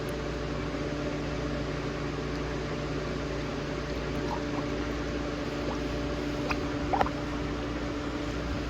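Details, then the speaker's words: 2013 Chevrolet Traverse after heater hose assembly replacement, radiator cap open while filling coolant: constant hiss with bubbling and gurgling as trapped air escapes the cooling system. "All right, I'm adding cooling to the system, and you can hear the air trying to"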